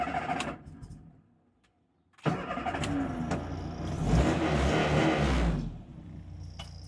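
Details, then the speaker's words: Classic Mini 1100 after a full engine rebuild, Swift Tune CSI electronic distributor, already warmed up: quick crank, catches at once and settles into a steady, even idle with no misses, AFR about 13.5–14. Normal warm start and idle. "Very happy. Starts right up."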